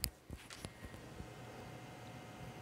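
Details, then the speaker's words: ATI 4550 512MB video card GPU fan in a desktop PC on a hot day: faint steady high-pitched whine over fan hiss after handling knocks, mic placed near the noisy fan. "now let me get my mic and put it down that way you can kind of hear that whine right now"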